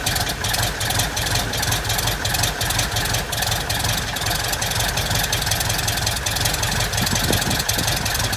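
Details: 1967 Citabria, first start after restoration: even, steady idle with quick regular firing pulses, no misses or clatter; normal idle.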